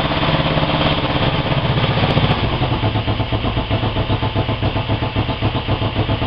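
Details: Honda 250 fitted with a CB 350 engine, started after an engine rebuild: settles into an even twin-cylinder thump, about two pulses a second near the end; running healthy.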